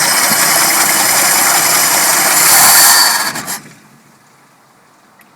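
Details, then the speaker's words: Carbureted car, warmed up at a very low idle, after the plugs were gapped, vacuum lines plugged and carb bolts checked: rough idle swells briefly on a little throttle, then the engine bogs, stumbles and stalls; cause still unknown. "a little bit of gas and she craps out"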